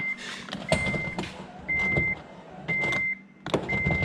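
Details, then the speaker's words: Honda Element window switched with key on: four short bursts of steady high motor whine but glass doesn't move and no end thunk; motor runs, window regulator failed, replacement ordered. "so you can hear the motor is running but nothing's happened so we're gonna we've already ordered the motor regulator"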